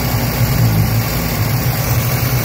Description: '76 Datsun B210, 1.4L... rough idling and dying at every stop.